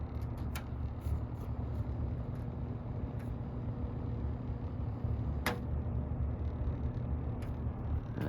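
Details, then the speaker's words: 1981 Lakewood K-223 fan: steady motor hum with a buzz from the switch plastic vibrating, which stops when held, plus the grilles rattling. Grille rattle. "I'm hearing like a buzzing sound it's coming from the switch I think it's the plastic vibrating it is because when I grabbed this that buzzing stops and then the grills are rattling"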